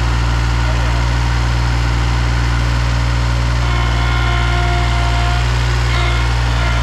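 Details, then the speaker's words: Bobcat Ransomes Jaguar 4000 mower with Mitsubishi diesel, left in a junkyard over 20 years, cold start after glow plugs: loud, steady low diesel clatter with an even beat, rough but continuous running. "let's go ahead and give it a cold start here give it some glow plugs"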